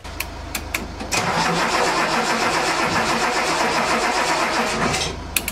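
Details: Datsun 280Z crank no-start. About four seconds of steady cranking at roughly four turns a second with no catch. A loose distributor connection was found.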